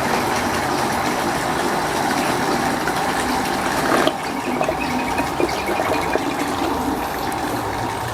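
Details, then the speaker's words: Water pump drawing from a simulated well until the water runs out; the gushing flow suddenly thins while the motor keeps turning with no auto-cutoff fitted: pump running dry. "Perhatikan ya sekarang air sumur udah habis Tapi pompa masih jalan terus ya kenegaraan bunyinya ya"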